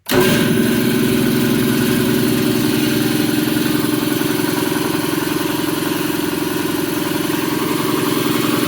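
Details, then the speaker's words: Quincy QT-54 shop air compressor with 3-phase motor, started by closing the pressure switch to energize the main contactor: motor kicks on abruptly then settles into a steady even pumping chug as the tank fills; normal run. "Now, I'll turn my switch on again, and you will see that thing switched to on that conttor, not that thing. And you will obviously hear the compressor start."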